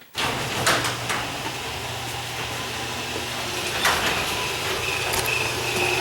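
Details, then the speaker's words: Garage door opener run after earlier spraying lubricant on wheels, track, joints and spring; steady rumble of door travel with a thin high squeal near the end of closing, still squeaking while going down. "The last time I was out here, I could hear it, and it was real screechy. I'm going to turn it down. Maybe it was just when it was going down."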